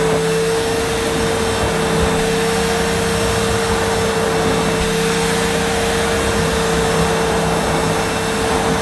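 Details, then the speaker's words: Early-1990s Hitachi CV-790 Powerhouse bagless vacuum pushed over carpet, a bit hard to push: constant motor whine with a steady airflow rush, no pitch wobble or rattles; running normally. "Yeah, it's obviously it's a bit hard to push on this carpet. As many vacuums I've looked at since getting this carpet, they are hard to push. It's not too bad though, not like some."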